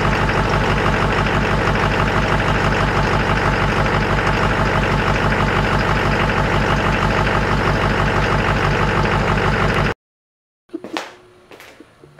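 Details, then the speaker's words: 2001 Chevrolet Silverado Duramax LB7 diesel, cold, just started after starter replacement: steady even idle clatter, regular pulse about three beats a second, no misses or knocks; healthy idle. "She is cold-blooded, but I'll do it again just to let you hear it. Way better."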